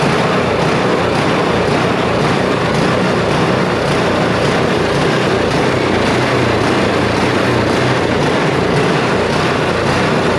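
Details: Neglected snow blower, with only fluid sprayed into the intake and a cleaned spark plug, rises and falls about twice a second, never settling; a hunting idle.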